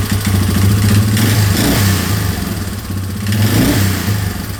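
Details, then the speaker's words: 2003 Yamaha Wolverine quad after fuel leak work, with inline fuel filter and temporary fuel setup: steady low single-cylinder thrum with gentle throttle swells, picking up cleanly without stumbling; normal running. "It's pretty good, so guess let's start getting back together again."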